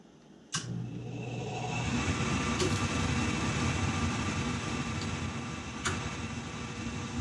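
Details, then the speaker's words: Gas boiler spark pilot ignition that sometimes sparks up to 15 seconds, tested after redoing control module ground connections: a few sharp spark ticks then a quick, soft steady burner roar. Finding: normal pilot ignition. "okay if it did this every time that little bit of spark and Foom"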